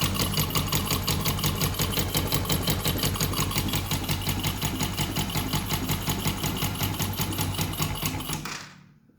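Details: Newly bought Yamaha Jupiter MX (non-clutch) single-cylinder idle with a sharp, even clatter of about three knocks a second. Grey oil makes the owner suspect coolant in the oil, and he blames a clutch housing knock; not confirmed.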